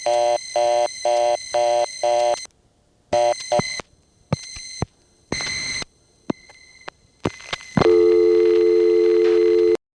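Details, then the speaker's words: No. 1 Crossbar office, Grand Concourse, Bronx: 550 dialed from a 294 dial-tone-first coin phone gives a fast reorder tone, then a steady tone, over a constant high buzz from the office's noisy power supplies. "here's dialing 550 from a 294 dial tone first coin phone and you can hear what it is about noisy power supplies in this office"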